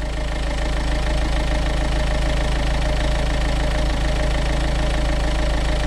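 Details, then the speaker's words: Renault Kangoo 1.5 dCi diesel after accessory belt change and oil change: steady even clatter, no belt squeal, chirp or flapping; healthy and settled. "Je vais te mettre un ou deux coups de gaz pour que tu vois bien que je suis pas en train de t'ébaratiner, que c'est du costaud. Voilà. T'entends le VR6 là?"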